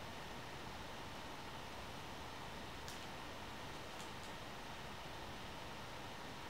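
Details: One Netbook One Mix 2S Yoga 7-inch mini laptop under Prime95 CPU stress test: soft, steady airy whoosh with no rattle, scrape or whine from the small fan spinning hard; normal fan noise under load.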